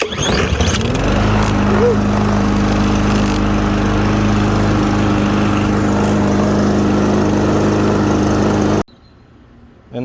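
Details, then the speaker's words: Troy-Bilt TB110 21-inch push mower, 140cc, after cleaning clogged carburetor and removing bad gasoline: pulls over and starts straight away, settles into steady even drone until switched off; runs normally. "you have it a running troy built tv 110 mower this is in good shape just need the carburetor clean she should work pretty well until the next clog"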